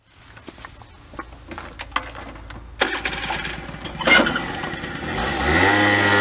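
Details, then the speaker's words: Recently bought Honda Dio 34 two-stroke scooter, after a near-full rebuild including new rear brake pads, in heavy frost: after a few clicks it starts at once and settles into a smooth, even buzz with no knocking; runs like clockwork. "Як то кажуть скутик заводиться все чудово робить як Годинник"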